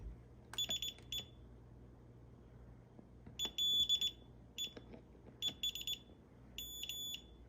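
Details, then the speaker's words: Fire alarm/security panel during monthly night-time testing, mains AC cut to test UPS backup: short, high, piercing beeps in irregular clusters as the panel signals AC power loss trouble. "if we really want to get real fancy we could test the security system see when it realizes that AC is lost there you go"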